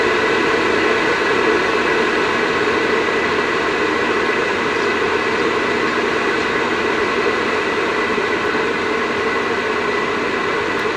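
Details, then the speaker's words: Vivosun 6-inch 390 CFM inline fan, unducted, tested from full through half and 3/4 down to lowest setting: smooth even airy rush with steady hum, no knocks or rattles. Normal running. "So that's its lowest setting right there. Not terrible. I mean, once you put ducting and maybe a filter on it, you won't really hear that much at all."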